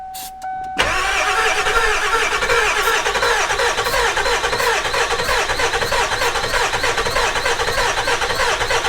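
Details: 7.3 Powerstroke turbo diesel E350 van, long sitting: steady fast cranking on and on without catching; owner suspects IPR valve or low oil not picking up; cranks but won't fire, cause unconfirmed.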